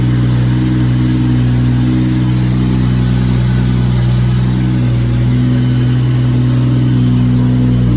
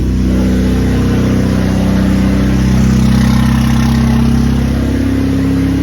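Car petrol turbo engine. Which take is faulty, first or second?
second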